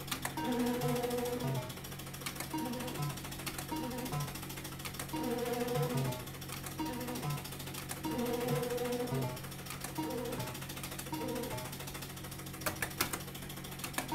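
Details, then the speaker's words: Bar-X slot machine paying out credits: quick, steady ticking of about three clicks a second from the meter counters at the bottom, under the machine's jingles. This is normal. "don't know if you can hear it tapping away, but it's just bloody nuisance on the counters in the bottom. I suppose you won't notice it in a noisy arcade, I suppose, but when you've got the TV with only fools noise in the background and this, I soon bloody hear it."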